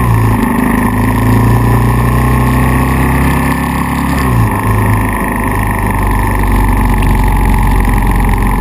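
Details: Kawasaki KLR650 single-cylinder thumping steadily, then briefly stumbling once with a tach needle drop; intermittent misfire roughly once every one to two minutes, persisting after replacing stator, pickup coil, CDI twice, plug twice, ignition coil, wire and cap.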